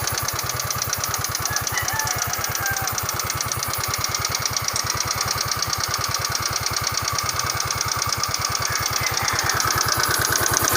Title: Valve Ticking Noise | Scooter Yamaha Mio